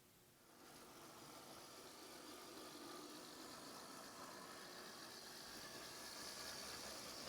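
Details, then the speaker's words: First-generation Athearn gear-drive model locomotive reassembled after repair, on its test run around the layout; the small motor spins up after half a second into a steady, slightly building high whir with no catches or stalls, running normally. "Okay, the Athearn locomotive is put back together and ready to test run. Hopefully it makes it around the layout without any problems."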